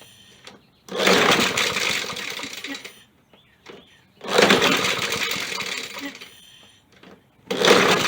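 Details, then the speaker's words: Poulan Pro mower found bone dry, being primed, air filter missing: repeated recoil pulls about every three seconds, each a short raspy whir that never catches; owner suspects too much air without the filter and sprays carb cleaner. "this thing was bone dry all right we're trying to prime her up that sounds different"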